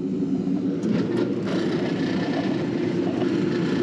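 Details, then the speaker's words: LuxAire gas furnace with a sooted heat exchanger, not converted to propane at startup, lit after a delay with the burner prongs cleaned: a steady, even roar with no surging, popping or flutter; the burner now runs steadily. "this one's been running steady no problem"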